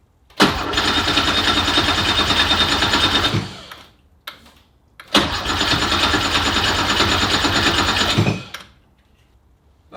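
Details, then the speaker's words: Porsche with a swapped Subaru EZ30R flat-six: two long bursts of steady cranking that never catch, with silence between tries. Cause found: ignition voltage dropping while the key is turned. "no okay it's the next day and man I've had such a hard time getting this thing to to fire every time I would crank it well nothing would happen basically"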